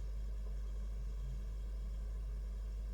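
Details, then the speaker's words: Xbox One S All Digital, model 1681, with no picture or POST, after the hard drive was swapped. A faint, steady hum of the spinning drive and nothing more: drive spins but no POST. Suspected retimer chip on the mainboard, not confirmed. "now we hear the hard drive but we've got no post so we see that changing the hard drive didn't change anything"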